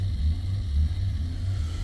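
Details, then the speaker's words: 2005 Maserati Quattroporte, 4.2 litre V8 Ferrari engine: deep uneven idle surging and sagging every fraction of a second, every dash error lit; hunting idle traced to a loose ground and an uncalibrated throttle body. "Right, this car's gone absolutely loopy, look. it's really not happy. No idea what's going on with it."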